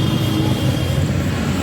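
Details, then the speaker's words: Honda Activa scooter after clutch repair: the clutch had been slipping, with no pull under load and a rattling noise from the engine, and dust and scattered oil were found inside. Original clutch hub, belt and clutch were fitted; it now has an even drone, smooth drive, no slip, surge or rattle, and pulls strongly. "अब accelerator खींचते ही गाड़ी उठ रही है घोड़े की तरह चीते की तरह चल रही है"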